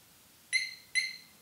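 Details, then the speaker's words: 2021 Harley-Davidson Road Glide Special with newly installed HD Smart Siren II (68328-06A): two quick high chirps about half a second apart after ignition is switched off, confirming the alarm is armed. "two chirps which means that the alarm system is armed"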